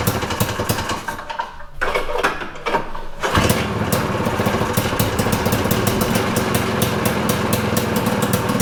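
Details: Citation two-stroke snowmobile, air box may be replaced and fine-tuned later: quiet ticking, then fires and settles into a steady buzzing idle that holds on its own.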